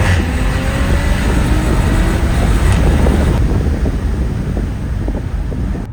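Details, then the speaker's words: Audi B9 SQ5 with new TTE810 hybrid turbo, RS injectors and 4-bar MAP sensors, tune not yet dialed in, first drive: deep engine roar swells on a pull with a faint rising whistle through wind noise; healthy turbo spooling hard. "an SUV should not be moving this fast it absolutely should not be moving this fast"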